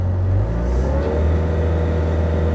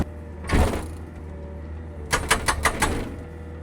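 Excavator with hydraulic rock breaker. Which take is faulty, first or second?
second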